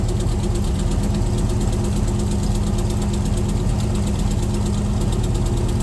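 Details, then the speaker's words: C3 Corvette V8 with Holley four-barrel carburetor idling before the tune, running rich and smelling of gas; mechanic blames float level set too high and adjusts all four barrels: steady low idle, slightly lumpy, uneven beat, no sharp knock; rich running. "so that's what's making it just too rich or what that's definitely part of it I'm going to adjust uh all four barrels too"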